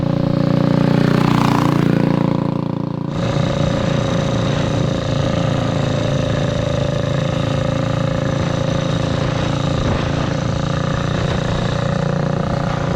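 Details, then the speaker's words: 228cc custom 4WD Ford Bronco Power Wheels go-kart with a torque converter, on its first drive. The engine drones along at a low, steady putter that never climbs, guessed at around 2,000 rpm. It is lugging because the gearing is far too tall. "Yes, it is geared way too high. Did you hear me going by? It was just yeah, it was humming just along. puttering."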